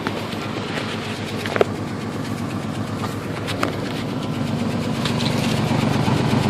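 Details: Ford Ranger 2.9 with power loss, at startup: uneven idle at about four pulses a second with catches and stumbles; smoky, antifreeze smell, running slightly hot, no heat, runs better since a thermostat change; cause unknown.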